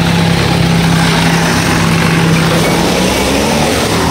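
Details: Rusi Chariot 175 tuk-tuk used for hauling water, after the high idle was lowered; loud, steady single-cylinder putter holding an even idle without hunting or stalling. Normal idle.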